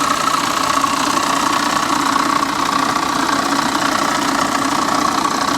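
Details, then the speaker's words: Salvage-auction car at idle after firing right up on its own; even idle with a light, regular tick or knock about three times a second; owner suspects an accessory such as the water pump, source unclear. "i don't know man that sounds uh that sounds a little sketchy but she did fire right up on her own gotta give her that yeah that sounds like a water pump or something what do you guys think"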